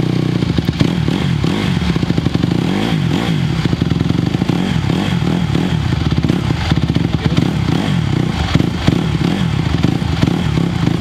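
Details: 2020 Honda CRF150R big-wheel single-cylinder four-stroke dirt bike, long sat, kick-started cold on choke; revs cleanly with quick crisp blips, no stumble, pulls up smoothly off choke; still a little cold; normal running.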